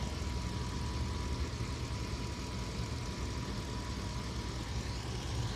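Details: Truck engine idling after an overheat, restarted back at the house for inspection; no hose leaks, water pump pulley turning, owner thinks the pump struggled pushing slushy coolant. Low, even idle with a faint steady whine, no knocks, squeals or misses; sounds healthy.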